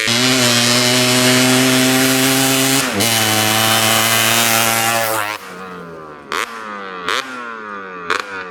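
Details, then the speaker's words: 1986 Honda TRX250R two-stroke quad after clearing a clogged exhaust pipe: held high with a clean steady tone, then sharp throttle blips rising and falling fast; revs out completely and sounds healthy. "It sounds so much better now. It revs out completely."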